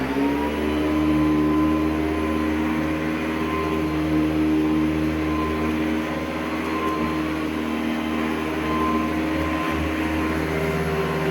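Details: Hoover Decade 800 vacuum compared with Hoover Convertibles: steady high-pitched motor hum with constant tone and no surging, rattling or scraping; the motor runs healthy.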